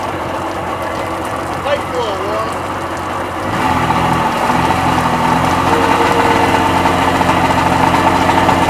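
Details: Freshly rebuilt Sea-Doo XP 720 two-stroke, restarted after cooling and correcting flush kit side, running on hose with pump/driveline disconnected: quiet, then catches and settles to steady even idle, no knocks or misses; normal.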